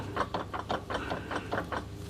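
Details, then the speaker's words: Eagle, not in 4WD, driveline with noticeable play: rapid clunks about four or five a second from the transfer case; suspected worn chain in the chain-driven case, and fluid may be low. "Yeah, it's a bit of play coming from the and you can hear the clunking from the transfer case, so that could be some of it right there."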